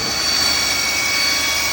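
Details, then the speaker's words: Audi/VW 2.0T, okay at idle but with a steady high-pitched whine carrying two tones when revving; a bearing-type whine, owner suspects a failing balance shaft bearing. "kinda okay at idle. But it sounds whirly. Like a whizzy noise. I suspect the balance shafts are out. One of the balance shafts is making a bearing noise in my opinion."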